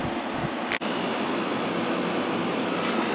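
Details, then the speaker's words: Kenmore (Whirlpool-made) 8000 BTU air conditioner, basic on/off switch, no thermostat, single-speed fan, drawing about 5.7 A / 629 W, blowing ice cold; steady even rush of fan air with one brief click, no rattles or grinding: normal running. "uh think this thing is blowing ice cold there and again there's no thermostat so yeah you want to use this in a big space"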